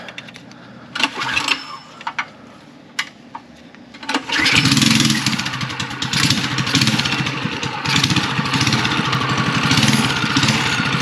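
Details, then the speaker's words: Mini chopper with small pull-start single and newly fitted VM22 carb on custom intake, 304 stainless exhaust: catches after a few pulls, chugs unevenly, won't take throttle, runs only on choke; too lean, main jet swap planned. "all right this thing is too lean I can tell um it's not even taking Gap taking throttle it'll run on the on the choke"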